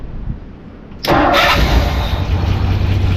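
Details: After new fuel pump bolted in: short crank, V8 catches into low lumpy idle with noisy valves; owner suspects a misfiring dead cylinder.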